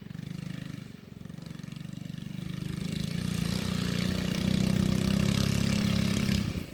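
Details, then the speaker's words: Baja Warrior minibike ridden after fitting moped front forks: small engine pulls steadily with a faint light rattle rising with revs; owner thinks it is the same rattle from the torque converter heard before. "I hear a rattling but I think that is still from the torque converter I think that was the same little rattle I heard before"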